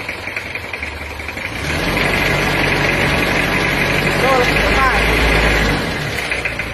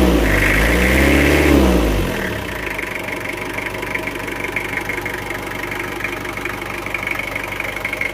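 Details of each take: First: Toyota Kijang diesel after repair with the wrong pistons fitted: idle is smooth and even, but revving up and releasing the throttle gives a light tek-tek tapping, likely from the wrong piston choice. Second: Toyota Kijang diesel after an engine rebuild with new AR-brand pistons: a quick rev drops back to an even idle with no ticking or knock. The earlier tick on throttle release and bok-bok from the air filter are gone. Normal.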